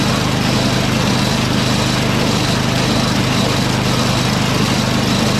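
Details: Small single-cylinder snowblower engine, auger and drive disengaged, half choke, electric start: even, steady fast idle with smooth exhaust note, keeps running on its own.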